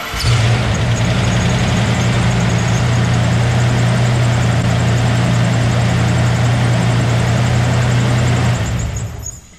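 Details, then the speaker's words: Bronco 347 stroker V8, first start after rebuild fixing a rocker arm nut that lost preload: cold engine catches into a fast loud idle with heavy steady drone; serpentine belt system very loud, as it was before; loud belt noise on start-up. "It started, nothing blew up. The belt serpentine system sounds like it's gonna explode, but that's fine."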